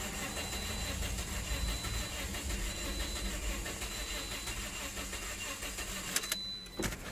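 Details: 2009 Toyota Corolla 1.8L, P0304, cranking with injectors unhooked for relative compression test: steady cranking with lopsided uneven beat; cylinders 3 and 4 lowest compression.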